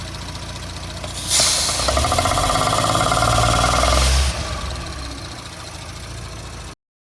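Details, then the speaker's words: 2017 Audi B9 S5 EA839 V6, 67,000 miles, after engine removal, replaced rocker arms, upgraded camshaft adjusters, carbon clean and fresh oil: catches after short crank, flares, settles to steady even idle; bank-two ticking gone. "Sounds a lot better now. There's no more ticking coming from this bank."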